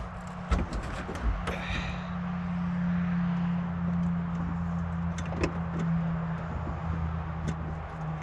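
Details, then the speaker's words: Old Ford dump truck, sitting 20+ years, cranked in the cold with plug wires on: starter churns steadily for several seconds without firing; owner confirms spark and fuel, suspects spark not reaching the plugs or the cold. "hmm I should have coughed by now got Spark It's got fuel I wonder if maybe it's not getting sparked out to here gotta check them all spark and fuel means you should run"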